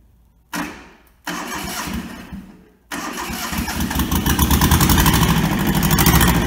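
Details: Toyota SDK4 skid steer diesel, restoration project; two short cranks, then catches and settles into a steady even idle with regular beat; starts and runs normally.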